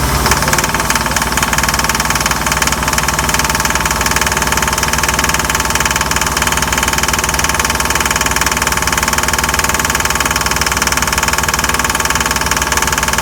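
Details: MerCruiser 5.7 inboard boat engine under load pulling a water skier: steady engine with a fast, regular bad knock, about two or three a second; smooth at idle; engine knocking under load, cause not stated.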